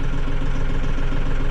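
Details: Mahindra 6065 tractor diesel after its service reminder was reset: even low clatter at a steady idle with no warning beeps. The engine runs smooth and healthy.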